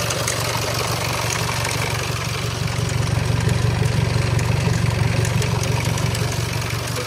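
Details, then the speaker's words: Range Rover Evoque Ingenium diesel, first start after rebuilding a failed engine and resetting the timing marks, with no oil around the chain yet: steady idle carrying an even rattle, about three beats a second, over a low rumble. Timing chain noise is suspected, not confirmed. "it's going to Rattle a little bit when you first start it up there's no oil in the field"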